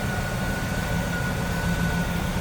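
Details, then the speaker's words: 1997 Chevrolet Camaro Z28 30th Anniversary convertible, 5.7 L small-block V8, stock-looking engine bay: low, even idle rumble with steady beat, no misses, knocks or ticks; running smooth. "So again, 5.7 liter V8 small block Chev. Tried and true. Pretty stock looking engine bay. Running smooth."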